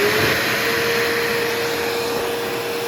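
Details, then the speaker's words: Old bagged Powerglide Ultra vacuum, stored in damp conditions, always loud: steady high motor whine with rough gritty hiss; still runs okay, but dirty armature, commutator needing polishing and carbon brushes cause the noise. "The commutator definitely needs to be polished in this thing. It's really bad. That kind of noise kind of thing is because of the carbon brushes. The armature is very dirty. It causes it to make that kind of noise."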